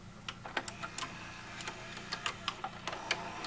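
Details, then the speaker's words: Fisher FVH-4000 VCR: the tape loading mechanism is demonstrated, giving light scattered ticks and clicks over a soft motor hum; normal tape loading cycle. "so let me just show you the loan mechanism again"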